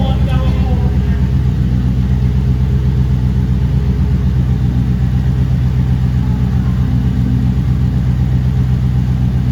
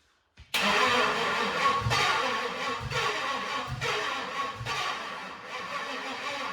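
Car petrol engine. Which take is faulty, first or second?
second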